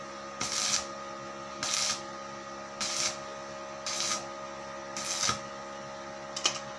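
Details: Daesung ARC120E 900 W stick welding transformer, over two years old, welding 1.2 mm hollow steel: short crackling arc bursts about once a second, steady and even with no sputter or sticking; healthy arc.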